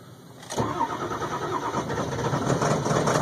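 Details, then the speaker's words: 2002 Ford F350 7.3 Powerstroke diesel cold start at about 34°F, glow plugs warmed two to three minutes: fires after about 8.5 minutes of trying, rough uneven clatter with white smoke; hard starting. "see there it goes I watch all the smoke it's right at 8 and 1/2 minutes it for this thing to start"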